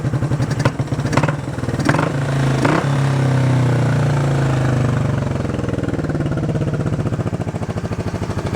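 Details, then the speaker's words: Honda CB350 twin. Ragged idle that smooths out on throttle blips: the left cylinder is dead at idle because one carb has no idle circuit. The other side is louder because its muffler is blowing at the bottom. "And that side's louder because the muffler's blowing in the bottom right here, so that's why it's louder."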